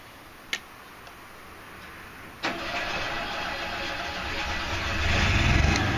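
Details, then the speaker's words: Generator started from the control panel start button, held about 6 to 8 seconds: a click, cranking, then it catches and builds to a steady, even hum without stumbling. Normal start. "And you can hear the generator just fired up."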